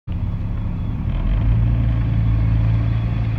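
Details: Believed 2006 GMC Envoy: a low, steady rumbling growl with a droning hum underneath; owner suspects a warped back of the rotor with the back pad not compressing correctly.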